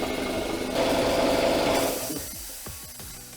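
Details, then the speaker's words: Craftsman 3 hp, 20-gallon air compressor after a check valve replacement fixed air leaking at the pressure switch release valve; the pump chatters evenly and stops at 100 psi with no hiss afterward, so it sounds healthy. "So do you guys hear that? Peace and quiet. That's what I like to hear. So all it was was a simple check valve."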